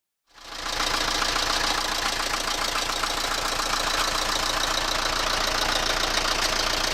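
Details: Toyota Carina engine at steady idle: regular sharp metallic knock about three or four times a second from the crankcase area, cause not found.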